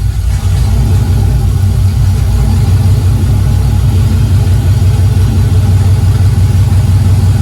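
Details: 2000 Camaro SS with junkyard 5.3 LS1 block and heads replacing knocking 6.0, open exhaust, spilled oil burning off; deep loud steady idle, no ticking or knocking, runs strong and even, sounds good.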